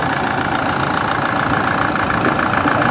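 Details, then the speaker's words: Toyota Innova 2020 diesel with no-start fixed by a brand-new common rail with relief valve, just started: idle clatter wavers unevenly and shaky while cold, then settles and steadies. "so Ayan kita natin na medyo kogkog pa talaga yung engine so Ser bahan lang muna natin Ayan oh it napuno parang Nilalamig pa siya dahil bago yung Pisa"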